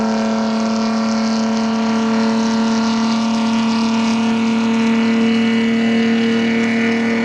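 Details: Chevrolet D60 truck with Detroit Diesel 4-53N two-stroke at its 3000 km service: steady droning hum with a strong buzzing tone, running evenly at constant speed; normal engine running.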